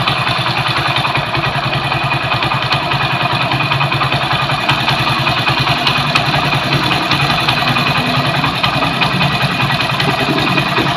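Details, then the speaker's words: Honda CD 70 or 100cc motorcycle after refitting carburetor and setting air-fuel mixture screw from fully tight: small single thumps at slow steady idle, two to three beats per second, no stumbling; mixture now set correctly for petrol economy. "इस जगह पे दोस्तों petrol average हमारा माशाल्लाह बिल्कुल set हो चुका है और अब बाइक को एक्सीलेटर देके चेक करेंगे।"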